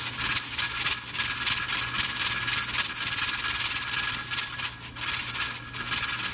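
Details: Pressure canner with 6 raw-pack jars of boneless chicken thighs: steady steam hiss pulsing about three to four times a second as the regulator weight rocks, venting normally and holding 10 psi.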